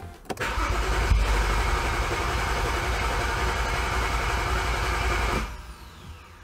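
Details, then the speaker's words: 2011 BMW E90 xDrive, rebuilt N55 with Stage 2 turbo and 8HP45X swap: starter cranks with no start, fuel pump not heard; DME codes rail pressure sensor and terminal 87 no voltage, later traced to a blown DME fuse and faulty rail pressure sensor. "everything looks okay in the engine bay I don't hear the fuel pump but give it a"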